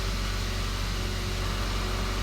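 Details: 2015 Kia Soul after replacing a broken IG2 fuse that caused hard or no starting: engine settles into a smooth, even low hum with no misses or knocks; healthy idle.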